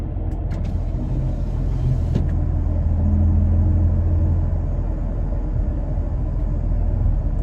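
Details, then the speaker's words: Toyota Tacoma in cabin at about 35 mph with window open, checking for wind noise from bed-mounted recovery boards: deep steady road rumble, no whistle or flutter; normal road noise, no wind whistle. "i didn't hear anything there either so let me go ahead and shut that window"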